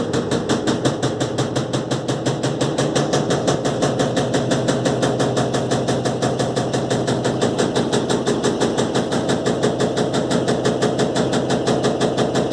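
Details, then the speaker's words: Electrolux LTE12 washing machine during a suspension test: fast, regular banging at about three knocks per second as the hose slaps the spinning basket. "Gente, esse barulho é que a mangueira tá batendo no cesto da máquina."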